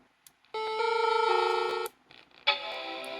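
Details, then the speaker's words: Macintosh PowerBook 180c under restoration: after a board, apparently the ROM card, is put back in, a single bright chord rings for about a second and a half. This is a clean startup chime and the machine powers on normally; it needs its ROM card and RAM. "that'll definitely do it yeah it kind of needs the ROM card and RAM of course"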